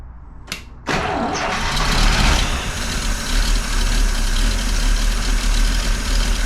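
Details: 1949 Buick Roadmaster hearse straight-eight, sat over six years, with points filed and the carburetor needle valve cleaned. Started cold without the automatic choke hooked up: after a short crank it fires and settles to a steady, fairly even low-rumble idle. Normal start.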